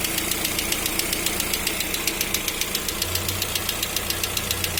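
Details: Lada Vesta at 575 km mileage, new engine in break-in: sharp, regular ticking knock about 3.5 per second over the idle; dealer says it's normal during break-in and to drive to 2000 km; cause unconfirmed.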